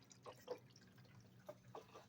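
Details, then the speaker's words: Turbo Buick air-to-water intercooler with upgraded pump and 12-gauge wiring, key on: faint trickling and gurgling over a quiet low hum as water flows through the radiator and core; normal coolant flow. "and now I've got water running through you can kind of hear it going through the radiator"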